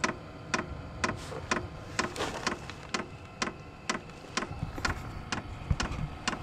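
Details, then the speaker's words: SILVEL 12 V diesel heater at startup, ramping toward maximum speed, air starting to flow: steady light fuel pump tick about once a second over soft fan rush; runs fine. "it's going to start getting to be a little bit louder I can feel a little bit of air starting to come out there we go"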